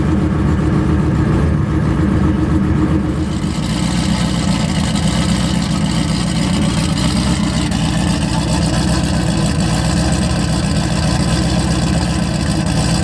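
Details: Single-turbo 2-valve engine just rebuilt with new head work, started right up. Steady deep idle with a brief blip at the start, then an even, smooth beat with no knocks or misses. Normal healthy idle.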